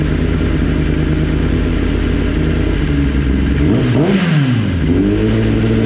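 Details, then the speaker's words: Kawasaki ZX-10R with new lithium battery, hot at 100° with the radiator fan running: it restarts easily, holds a steady, even low-rumble idle, then the note sweeps away at shutdown. Owner earlier suspected a faulty starter prevented hot starts. "Kanina nag-try na kami, 100 degrees, naka-on yung fan. Pinatay ko siya. And then, sinusiyan ko ulit ng on. Habang gumagana yung fan, i-start ko. Walang problema."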